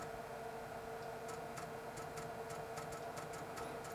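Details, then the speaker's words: Replacement floppy drive of the same model in a Dell 486P/20 (486SX 20MHz) on cold boot: quick bursts of sharp seek ticks, about two a second, over faint hum; it sounds faster than the Panasonic drive just taken out, heads moving quicker, a healthy seek. "this drive sounds faster than the Panasonic we just took out sounds like the heads are moving around much quicker"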